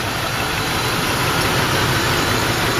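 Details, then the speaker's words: 1986 Mercury Grand Marquis LS V8, original engine, first start of season after storage: settles into a smooth, even idle with steady low rumble, little rapping, no knocks, misses or ticks; running normally. "Yeah, not much wrapping at all, which is good. She's running good. Just like I expect her to."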